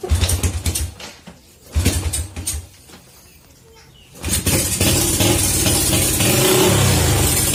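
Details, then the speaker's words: Honda Supra Fit (first generation) motorcycle once hot, ignition parts already checked: engine limps in uneven bursts, nearly stalls, then catches and revs; hot-engine misfire and stumbling, camshaft suspected. "Mati dia. Nah, seperti itu dia, berebek-berebek. Kita tes ulang."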